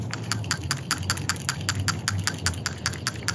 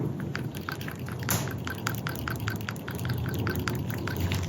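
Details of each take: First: New PCV valve for a 1998-02 Toyota Corolla/Prizm 1.8L 1ZZ-FE, shaken by hand: quick, crisp ticking clicks about 2.5 per second, plunger moving freely; normal, unlike the carbon-clogged old valve. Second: Old PCV valve removed from a 1998-02 Toyota Corolla/Prizm 1.8L 1ZZ-FE, shaken by hand: dull, sluggish, muffled rattles about two per second; carbon crud restricting plunger travel, so replace it.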